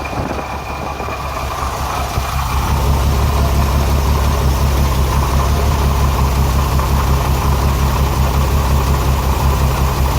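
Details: Renix Jeep Cherokee six-cylinder at idle: deep, uneven chuff with about three stumbles a second; cylinder 6 misfire from a tight exhaust valve, its rocker moving less than the others; fixed by backing off the rocker bolt.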